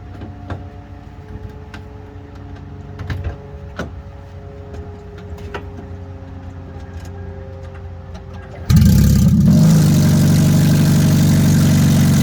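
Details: 2003 Toyota Prius at start-up, phone placed under the car: quiet ticking, then the engine fires into a loud, deep, unmuffled roar because the stolen catalytic converter has been cut out of the exhaust.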